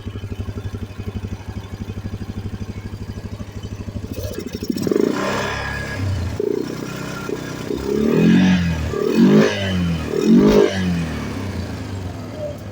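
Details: Customer ATV: steady idle pulses, then uneven revving with ragged pops and sputters; engine misfiring with spit-back through the carburetor.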